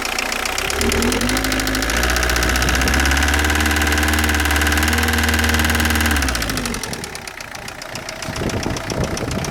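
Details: 2003 Citroën Saxo at idle: steady fast clacking about four per second over the engine hum. Source not pinned down.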